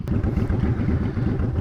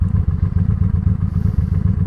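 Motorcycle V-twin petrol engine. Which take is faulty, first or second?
second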